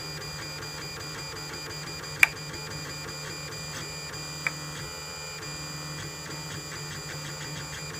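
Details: Lulzbot Mini 3D printer while printing: steady hum and stepper chatter broken by sharp isolated clicking, cause unknown.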